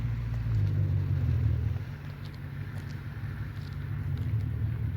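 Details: 2005 BMW 645ci (E63) V8, revived after draining transmission fluid from the engine oil and replacing the starter, light rev in neutral: deep rumble rises and settles evenly, no knock or misfire; revs cleanly.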